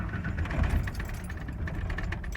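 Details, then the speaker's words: 1993 Ford F-150 4.9 straight six at startup: uneven idle lurching and surging, RPM bouncing with throttle, tends to die; rough unstable idle, later fixed by replacing MAP sensor. "so right there it's already idling pretty bad if I give it a little gas see bounces up and down I can't ever keep it at the same and usually if you let off it'll die"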